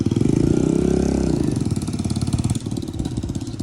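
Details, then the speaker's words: 150cc dirt bike: small engine idles with a steady, even putter after a brief throttle blip, running well. "yo it's running good huh it's running good yeah buddy"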